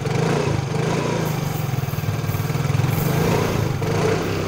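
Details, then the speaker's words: Yamaha Mio Fino scooter starter motor after fixing a dry armature that caused a rough "nguk" sound: even, quick chugging cranking with no groan or catch; smooth, healthy starter. "Oke untuk suaranya itu sudah halus ya teman-teman tidak ada lagi bunyi yang seperti itu ya"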